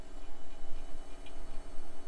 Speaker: I guess it just needed to unstick itself okay well we seem to be Frozen and it doesn't sound like the hard drive's fault